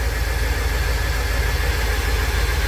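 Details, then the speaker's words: 1999 Chevy Express 3500 van after wires were soldered to cure a no-start, not yet fully warm; deep steady idle with a slight uneven wobble, engine feels shaky, timing still to be checked; rough idle. "joven mi gente ahí está para el motor se siente tembloroso voy a checar el tiempo pero tengo que dejar que caliente bien"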